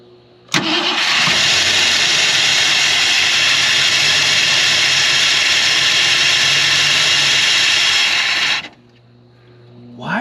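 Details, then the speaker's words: 1968 Ford Galaxie XL parked 38 years, first runs: engine under a loud steady rushing hiss like a vacuum cleaner drowning the idle; vacuum leak at the carburetor base, to be fixed with the correct gasket. "okay doing some digging and looking and figuring out this whole mess right here is what's leaking everywhere with that correct gasket to cover everything hopefully now it'll ru"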